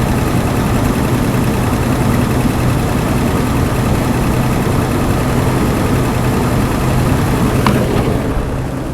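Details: 1982 Chevy C10 Custom Deluxe six-cylinder, sitting 15 years, first start: lumpy, uneven idle with a ragged low rumble, barely holding on; carburettor slow jet suspected clogged, fuel-starved at idle.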